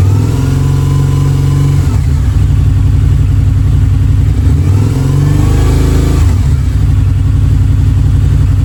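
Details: Harley V-Rod's first start in at least 4 years, with fresh 91-octane fuel, a new battery and the throttle body refitted: deep, uneven, burbly revs and smoke; plugs are wet from penetrating oil squirted into the cylinders. Rough revving after storage.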